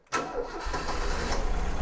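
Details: 1985 Ford Fiesta after sitting for months and a fix for its no-start: brief crank, the engine catches almost at once and settles into a steady, even idle; clean, normal start.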